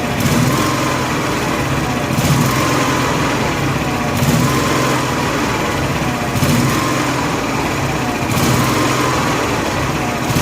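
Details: Honda gas-powered AEC welder generator, electric fuel pump on factory wiring with hoses tight: engine hunts up and down about every two seconds in a steady rhythm. Fuel-starvation surging; the fuel shutoff was meant for natural gas, not gasoline.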